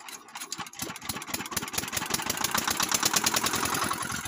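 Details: NS100/80/50-type water pump engine, tested after replacing worn gland packing because water wouldn't rise at high throttle: the small single-cylinder engine catches and settles into an even, steady beat of about three pulses a second.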